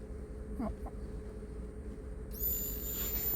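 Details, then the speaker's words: Toyota Voxy in a Yakutsk winter, fuel pump run in test mode from software after a leftover StarLine alarm relay had cut pump power. A thin, steady high-pitched whine switches on and holds evenly, and power is reaching the pump normally. "Моторчик заработал. Питание идет, все хорошо."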